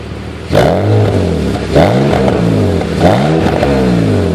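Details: BMW 330Ci with M54B30 engine, cold start: revs surge unevenly with a stumbling, lumpy beat; cold-start misfire.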